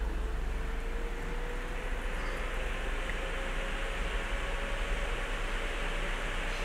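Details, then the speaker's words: ASUS Strix GTX 1080 graphics card after its stiff-bearing rear fan was lubricated, fan speed raised to about 80%: steady airy whoosh with a faint rising tone, no ticking or rattle; normal fan operation. "Perfecto. Bueno, ahí lo tienen. Arreglamos un ventilador de un Strix la primera vez."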